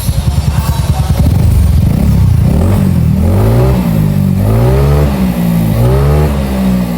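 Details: Bored-up Yamaha scooter after rebuild with original Yamaha rocker arms replacing fake ones, custom cam and CVT revision, sound check before dyno remap: clean blips, pitch rising and falling smoothly, no knocking or rattle; sounds healthy.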